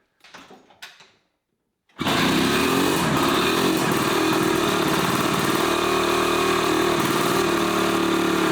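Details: 1981 Suzuki GT250 X7 two-stroke barn find after full rebuild, with air screw tweak and easy start: buzzy uneven, lopsided beat near four a second; running on one cylinder, carb issue suspected.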